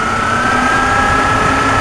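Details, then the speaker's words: Chevy Blazer idling on a warm day after oil catch can install (suspected small head gasket leak, moisture): steady idle with even rushing whoosh and constant mid hum as the electric cooling fan kicks in, running normally. "fan just kicked in my electronic fan"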